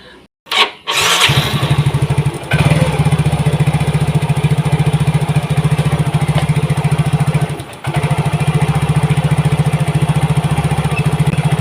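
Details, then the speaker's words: Yamaha Mio GT fuel-injected scooter, injector already cleaned and filter replaced; starter whirrs, engine catches with lumpy uneven beat and stumble, slow response; clogged fuel injector, before injector replacement. "Nah, responnya pun nggak bagus kawan ya, terasa lambat."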